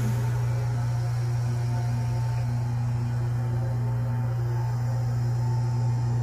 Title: Carrier Comfort Series 3 ton Heat Pump making loud noise - brand new Oct 2023 - M: 25SCA536